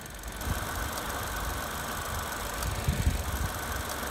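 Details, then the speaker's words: 2014 Vauxhall/Opel Corsa E 1.4 petrol running rough and jerking: uneven idle with faint irregular clicks under engine cover, engine shaking at each, from coil pack arcing due to water ingress and corroded contacts; coil and plugs replaced. "can hear that clicking arcing as it's running there"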